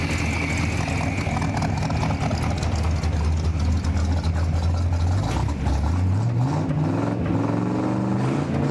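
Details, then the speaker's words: 1958 Chevrolet Apache Fleetside V8 with a 4-speed manual, carburetor sat 10 years in a barn, no real mufflers, still burning off oil: loud, even idle through open pipes and a clean rev blip, no knock or misfire; sound V8. "I feel like it should have real mufflers. Still burning off some of the oil."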